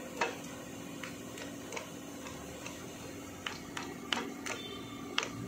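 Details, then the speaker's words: Yamaha WR 155 engine during teardown, connecting rod rocked by hand: irregular sharp little clicks about every half second from a worn big-end bearing with play. When running, this knocks "tek tek" at medium throttle and fades at high revs. "Nah, ciri-cirinya kalau ini kocak itu gini, gas sedang. Jadi per per gitu. Kalau tinggi hilang dia malah, tapi pas wer wer dia tek tek tek tek."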